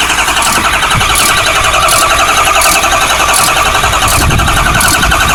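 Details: Ford 6.0L diesel truck that shut down on the road cranks steadily with a rhythmic ratcheting clatter but never starts; FICM, PCM and relays tested good in another truck, HPOP and oil cooler replaced, EGR deleted, intermittent sync on scan gauge.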